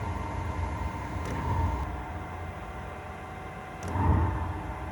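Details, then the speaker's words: Chinese diesel air heater running normally when warm, roasting hot, after restart following four to five months unused; steady low roar with gentle swells, no misfires or sputter. "all the best yes that's roasted now that is cooking"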